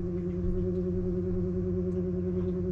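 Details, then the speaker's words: Webasto Thermo Pro 90 diesel water heater on a Garcia Exploration 45 sailing yacht starting up behind a hatch, cabin at 9.2 degrees, with dehumidifier fan noise in the background: a low, steady hum with a slight waver as it lights; normal startup. "but here's the noise from the wabasto starting up it's in there behind the hatch"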